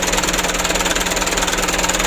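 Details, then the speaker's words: Mitsubishi Canter diesel after injection pump plunger replacement, idling: busy, slightly uneven clatter over a steady hum; engine shakes while pump is adjusted slowly, aiming to cut excess exhaust smoke. Rough diesel idle. "kita usahakan jangan terlalu parah goyang mesinnya kita coba dulu ya Kita sesuaikan fasilitas buangnya jangan terlalu banyak sekali asapnya"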